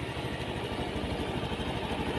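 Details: Honda Beat scooter (non-ESP) after fixing damaged wiring causing battery voltage drop, now charging at 13 V, lights working: idles steady and even, soft low putter, no knocks or misses; healthy.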